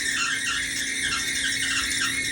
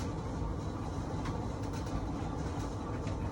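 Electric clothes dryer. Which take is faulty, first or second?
first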